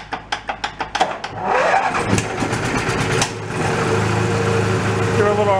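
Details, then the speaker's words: Mid-1980s Snapper riding mower, cold engine: about eight sharp cranking pulses, then a ragged, uneven catch with pops as it spits back through the carburetor. "rpm the shot blames out the carb plus it's cold all right let's go give her a little bit of choke"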